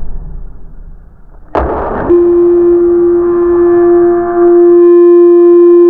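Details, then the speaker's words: Watchdog portable water leak alarm: a splash then a loud steady ear-piercing high-pitched tone as the sensor wire is submerged in water; alarm working. "you should hear it i promise you man it's loud here ear piercing"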